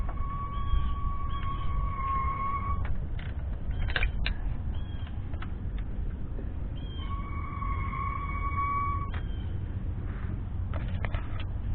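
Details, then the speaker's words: 2003 Ford F-250 7.3L diesel, about 70,000 miles, in neutral, turned by ratchet: sharp steady squeal only in one rotation direction; owner suspects the transfer case or rear transmission bearing. "I have this ratchet just so I can turn the differential and I got the squeaking noise it's all when doing this noise when I'm going this direction so I'm going backwards a little tight harder to go back but no noise just only when I go this direction"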